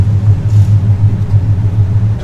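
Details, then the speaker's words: LS7 drift Corvette that shut off on track, voltage very low despite jumper truck and jump box: low, uneven droning buzz with no cranking rhythm. The starter kicks but does not turn the engine over. "it's doing nothing it just goes you hear the starter kick and it won't turn the motor over"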